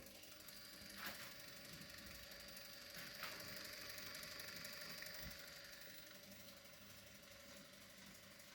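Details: ACL film camera with 4-speed motor, film roll loaded but unthreaded, heard from about 70 cm on a table: quiet mechanical chatter about four ticks a second with faint whine from camera body, magazine and motor-axle coupler; motor itself near silent.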